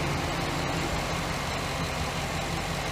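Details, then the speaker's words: 2008 GMC Sierra 1500 5.3 LS after replacing failed lifter (intake, exhaust and head pulled): steady even idle, smooth low rumble, no ticking or exhaust leaks, much quieter than before; normal idle after repair. "So it looks like it's going good. It's a lot quieter than it was."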